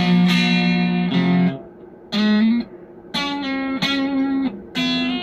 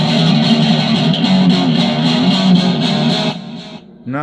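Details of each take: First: DigiTech Twin Tube GFX1 preamp on its Screaming Demon preset, with a wrong 12AT7 tube in place of a 12AX7. Even with the gain up, notes ring clean with no crunch. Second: DigiTech Twin Tube GFX1 rack guitar preamp after the 12AT7 was replaced with a 12AX7 with settings unchanged: thick, saturated tone with full crunch and sustain and no thin clean sound, so the distortion is back to normal.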